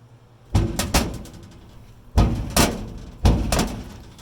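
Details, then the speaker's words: Louisiana Grills Champion Series Competition Pro, under two years old, after a fire from overfeeding pellets: each closing gives a heavy metal clunk, then a rattling knock as the bowed lid rocks, leaving a gap and escaping smoke. Warped lid not seating. "We see some of that charring over here too. The same thing. It doesn't set all the way down."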